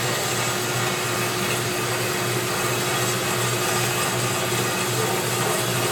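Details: Unused Turn Pro 10x17-inch belt-drive horizontal band saw, 220 V 3-phase: steady even whir, constant hum and coolant hiss, no knocks or rubbing; runs smoothly and sounds healthy.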